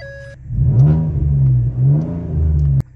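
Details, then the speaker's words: Ex-police Ford Taurus Police Interceptor just started and blipped: deep, loud, unmuffled boom swelling with each rev; one muffler found missing, only one fitted. "now I was gonna lift it but I just looked right under here and check this out for some no good reason the muffler is missing there's only one Muffler"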